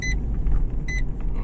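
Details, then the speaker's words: Renault Megane 2 cabin while driving, after silicone spray on plastic trim joints: deep road rumble and two short chimes, no creaks from the rear shelf; loudest cricket rattle gone. "однозначно тот сверчок следы пропал"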